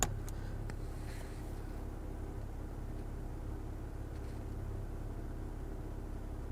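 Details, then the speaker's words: 2010 BMW 535i E61 wagon, auction car: steady low electric hum as the air suspension compressor turns on after fuse and relay checks; the compressor works, though the owner suspects the valves aren't opening and closing. "now here the compressor turning on where's find that relay There It Is Well the compressor works but the valves probably aren't opening and closing"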